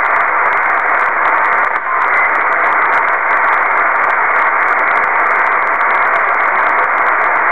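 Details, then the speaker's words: Kenwood TS-2000 HF transceiver, noise on all HF bands at home station, tuning through bands including a net frequency: loud steady hiss, signals need S9 or better to be readable; wideband radio frequency interference. "as you can see it takes a signal of s 9 or better to even be readable now this is a frequency of a net I check into every night"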